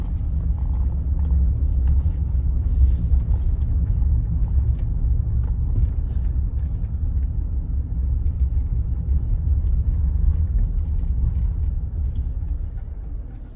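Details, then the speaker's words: Vehicle on Toyo tires at about 45 mph: steady deep drone with a coarse roar, no rhythm or whine. Owner says the tires have been this noisy since fitted; tire shop called them fine. "hear it really noisy these tires are just incredibly noisy they've kind of been like that since I've had them"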